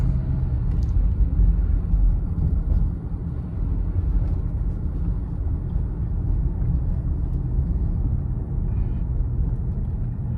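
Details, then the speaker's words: 2015 Honda CR-V, 112,000 miles, after replacing front sway bar bushings, end links, brake pads and rotors for a clunk: only low road rumble over bumps, no clunks or rattles; front suspension fixed. "good solid sound no more rattles let's try the bmps wow all right we fixed the problem"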